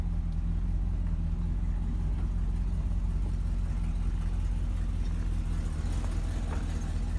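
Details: Chevy Cheyenne C20 V8 after fitting a new Edelbrock 600 cfm carb and replacing the water pump that had a bad bearing, driven a couple of days: deep, steady rumble, even and smooth, the previous grinding gone. Normal idle.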